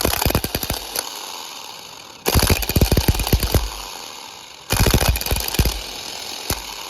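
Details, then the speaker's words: Ford Focus starter motor: three short cranking bursts with uneven, clattering strikes and hesitation between tries; a worn, failing starter. "Yeah. I don't like the way that one sounds. Oh, yeah. Yeah, mine's definitely going out. I don't even know if I'm recording. If I'm not, I'm sorry. But at least you know what a bad starter sounds like."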